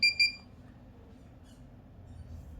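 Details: Hikvision AcuSense NVR: two short high-pitched beeps then quiet room hiss; buzzer alert that sounds at regular intervals when no hard disk is fitted or the disk is faulty, silenced by disabling the buzzer option; alarm buzzer beeping.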